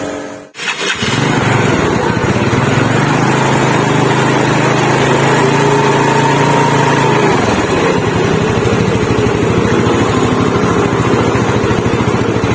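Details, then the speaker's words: Yamaha Mio Smile scooter after repair of a fan pulley that kept coming loose, about 2 mm extra ring added behind kick-start gear, test run: clean start, steady buzzing run rising and settling evenly, no pulley-side rattle; sound and power back to normal. "Nah sekarang kita pengetesan gigislah kalau untuk suara sudahah normal dan halus kembali dan sudah jelas sudah pasti tenaganya pun kembali normal"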